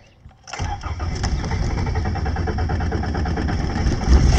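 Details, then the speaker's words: 1981 Toyota Tercel, carbureted, dead battery jump-started: starter churns roughly, then the engine stumbles into an uneven, lumpy run about three to four beats a second; sometimes hard to start. Cause unconfirmed. "yeah this uh 1981 or so it's kind of hard to it turns on uh it's kind of hard to turn on once in a while i mean it's carburet"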